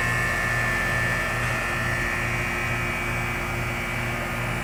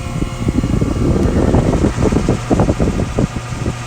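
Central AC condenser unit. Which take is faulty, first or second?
second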